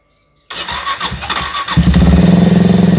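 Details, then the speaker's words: Benelli TNT 25 (250) single-cylinder motorcycle after clutch basket repair for clack-clack noise, exhaust muffled with a rag: steady even idle with no clutch clatter; normal idle. "bueno ahora voy a tapar el escape vamos a ver a ver si hace un poco menos de ruido y podemos escuchar el motor Por lo pronto no se escucha ningún [Música] ruido"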